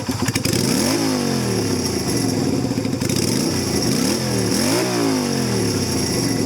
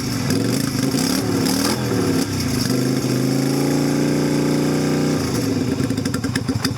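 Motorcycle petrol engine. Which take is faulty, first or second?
second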